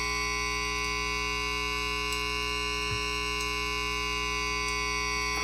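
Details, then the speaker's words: 1980 (possibly 1970s) MXR Flanger MX-117, speed pot under repair: static, hollow metallic ring that never sweeps; the flanger's LFO stays frozen without the speed control circuit connected. "see I can just move this around on the trace faster much faster medium faster but without it it stays Frozen"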